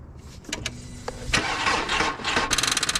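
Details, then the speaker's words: Car with a dead battery, before jump pack is connected: turning the key brings only scattered clicks then a fast chattering buzz, no cranking or firing; flat battery can't spin the starter. "okay obviously the battery's dead now we're going to hook this up the battery right turn it on green lights on all right go ahead try to start it"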